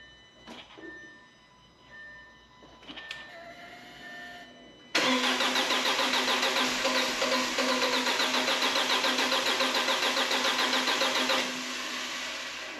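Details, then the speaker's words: 2007 Audi A4 2.0 FSI/TFSI with 141K miles, first start after engine rebuild for low oil pressure: starter cranks over six seconds without firing, sounding like it isn't getting fuel; hard starting from fuel starvation. "go it almost sounds like it's not getting fuel i'm gonna keep trying come on baby"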